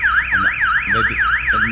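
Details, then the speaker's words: Cardot car alarm with push-button start and immobilizer: after the engine is stopped and the system arms, pressing the start button again sets off a loud siren warbling about three times a second; alarm triggered by a start attempt while armed. "If now you want to press down again, it will make alarm. It will make alarm. Yes, make alarm."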